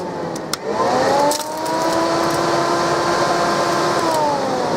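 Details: 2003 Abbey Inspiration 520L caravan electric roof vent fan, vent opened about 70-80 degrees, speed control on: steady whirring hum with smooth airy rush settling at even speed; running normally.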